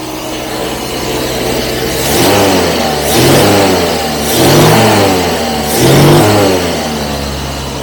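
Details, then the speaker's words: Carbureted 1975 Jaguar XJ12 V12, just started on choke: four throttle blips over a low, lumpy, uneven rumble; owner thinks it is down just one cylinder, improved from running on about three. "But I think we're down just one cylinder. So that's really really an improvement."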